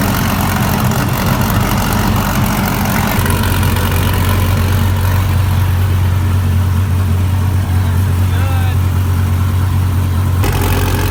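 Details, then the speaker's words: 2014 Dodge Viper TA V10, first start after a race-track collision rebuild: very loud, rough idle with a raspy puffing edge. Exhaust leak from a previously unseen crack in the pipe. "oh my goodness guys sounds like a beast but we did hear a leak out of this pipe right here and there's actually a crack in it did not see it"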